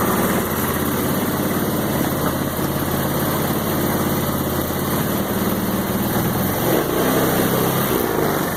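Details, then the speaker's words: Roketa MC-75-150K Chinese 150cc motor scooter with new battery: engine catches and settles into an even, steady putter with no misses or odd noises; starting and idle are fine. "Let me start it up for you with the new battery. It starts right up."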